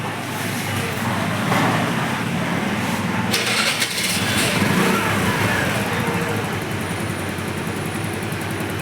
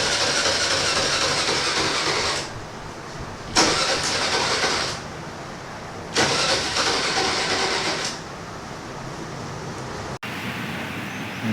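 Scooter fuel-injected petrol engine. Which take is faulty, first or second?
second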